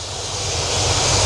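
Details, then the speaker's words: Cadillac with RV cam and rebuilt A/C idling, A/C switched on, new electric condenser fans giving an even airy whoosh over the steady idle; normal condenser fan operation, A/C cycling. "but they're running. Running, operating just like they ought to."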